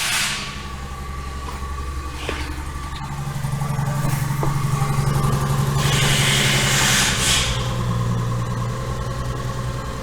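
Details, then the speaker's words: Genesis GV80 V6 turbo petrol idling after replacing multiple failed GDI injectors and all six spark plugs, low slightly uneven rumble with clicks and hissing bursts; misfire persists, check engine light flashing: misfire at idle. "That's weird. Okay, I still have a misfire here. Check engine light still flashing."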